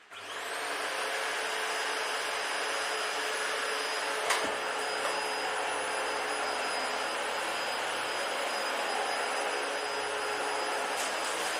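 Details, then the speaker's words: Dyson DC-40 vacuum found in the trash, tested on old carpet; steady even roar with a faint high whistle, slight suction noise remains but no screaming or whining; normal running. "It does have that slight suction like still, but honestly it's not as bad, so I'll take that over screaming and whining."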